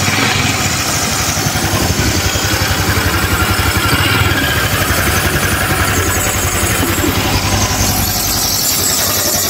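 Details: Honda Click 150i scooter after overheating from lost coolant, bypassed thermostat and resulting overhaul, coolant refilled: even, quick steady idle with no rattle or knocking, now quiet and started on one click; normal idle before break-in.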